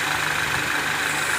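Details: Citroën C4 Lounge THP turbo running after the valve cover with the torn diaphragm that caused a chirping noise was replaced: a smooth, even idle with a steady hum and no ticking, knocking or hissing.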